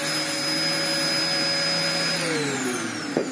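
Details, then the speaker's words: Dyson DC04 vacuum in daily use, before refurbishment, with a filter long overdue for replacement: steady motor roar with thin high whistles that bend as airflow changes; the dirt-packed release valve is whistling. "Sly the release valve is full of dirt and making a horrible whistling sound"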